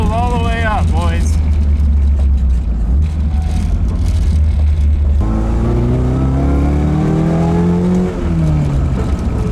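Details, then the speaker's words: AE86 after engine build, revved toward redline with tachometer visible: strong deep note rising and falling smoothly, even and clean; good power around 3,000 rpm, healthy engine. "no it makes a good bit of arms down in three grand feels pretty healthy"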